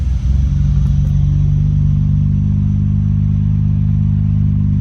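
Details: Nissan Skyline GT-R R32 RB26 after twin turbo upgrade overhaul and E85 conversion: deep, steady low rumble settling into an even idle with no knock or miss; running cleanly.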